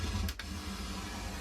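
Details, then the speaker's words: Korg M1 synthesizer after factory patches reloaded by sysex: faint buzzing chatter with low steady hum and a brief click, changing as it reads memory; later cured by replacing one faulty dynamic RAM chip. "Okay, so I've managed to sys-ex the factory patches onto the machine, but it didn't get rid of this internal chatter. So it does change its sound depending on what I do to the machine, so you can hear it getting stuff from memory."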